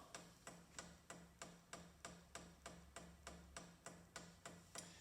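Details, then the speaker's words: Chinese diesel heater on the bench at its first fire-up, priming the fuel pump with OK and down pressed together: sharp, evenly spaced clicks of about three per second over a quiet background; normal fuel pump priming clicks. "now to prime the pump you press ok and down at the same time you got H off press up for H on and now that you hear that clicking noise that is the pump pump"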